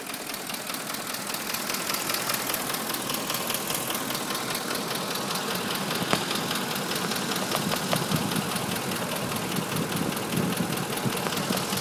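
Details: 2005 Ford F-150 5.4L, nearly 89k miles, Motorcraft 5W-20 oil, check engine light on after VCT unplugged: sharp, fairly regular top-end tapping/knock at idle, about 2–3 per second, now at all RPM; dealers suspect cam phasers, unconfirmed.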